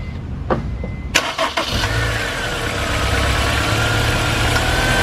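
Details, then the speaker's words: Honda S2000 after the loose alternator was fixed and the belt reinstalled: starter cranks, engine catches and settles into a steady, even run with no rattle or clack left; noise gone. "Alright, belt's back on. Let's just confirm our noise has gone away."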